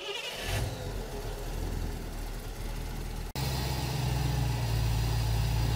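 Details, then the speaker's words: V8 with Holley Sniper EFI, magnetic pickup distributor, ECU timing control, static timing set to 15 degrees, fuel pump relay reinstalled; a few seconds cranking then catches cleanly into steady even low rumble, no misses; normal start and idle. "try to start the engine we're gonna confirm where the timing is go ahead and try to start it"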